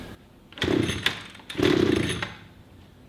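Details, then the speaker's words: Brand new 2-stroke pole tool, first cold start on choke after several priming pulls: two pull-start bursts with sharp pops, engine nearly catching but dying each time; almost firing. "And you can hear it starting to kick, as it did then. It was almost starting."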